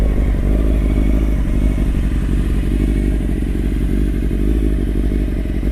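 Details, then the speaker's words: Restored 1995 Honda CBR600F3 (30 years old, engine largely redone) stopped during its first real road ride: deep, even four-cylinder idle with no knocks, rattles or misses; clutch and everything sound normal. "I don't really know notice their clutch sounds so should be doing all right everything sounds normal"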